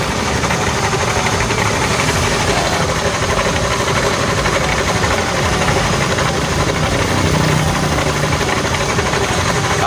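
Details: Honda Beat automatic scooter engine running rough at idle: uneven metallic clatter knocking beneath the engine drone; damaged crankshaft bearing, caused by earlier oil starvation, to be replaced; crankshaft bearing knock.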